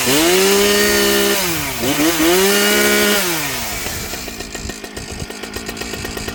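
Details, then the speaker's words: Husqvarna 455 Rancher chainsaw that had been bogging, after swapping incorrectly connected fuel lines: revs up cleanly to a steady high scream, drops and climbs again without bogging, then settles to a light idle; problem solved. "Well guys, I think we have pretty much solved the problem of the 455 Rancher."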